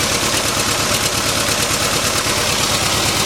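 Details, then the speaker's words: 1989 Isuzu Trooper four-cylinder petrol: rough, uneven lumpy idle from a dead cylinder; suspected blown head gasket with water in the radiator, not confirmed. "this thing's got a blown head gasket that water in the radiator and it's got a dead cylinder very common it runs rough"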